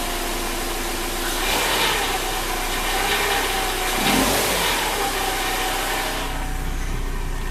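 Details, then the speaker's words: 2005 Subaru Outback XT with JDM EJ20X swap, factory ECU: at cold idle in gear, light irregular metallic rattle, suspected bottom cam; disappears with throttle and once warmed up with oil pressure. "The only thing is when the car is still kind of cold and you put it in gear, it will rattle. It's the bottom cam kind of rattling around a little bit."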